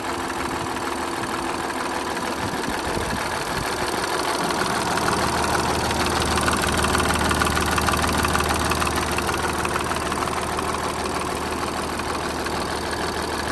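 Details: Audi A7 idling with a steady ticking rattle, about three a second, from the left side of the engine; owner suspects timing chain, unconfirmed.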